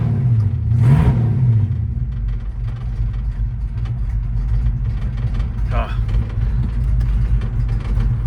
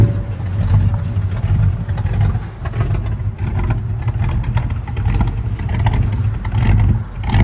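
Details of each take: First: 1968 Ford Fairlane 500 Fastback automatic, sat eight years, first drive after an earlier no-shift problem: engine pulls from low revs and the note drops cleanly through the upshifts to second and third, with no flare or slip. Normal shifting, car drivable. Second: 1968 Ford Fairlane 500 Fastback automatic, sat eight years, first drive around the block, engine running rich: revs climb and hang high with no drop for a gearchange. The transmission won't upshift; owner plans to check the vacuum underneath.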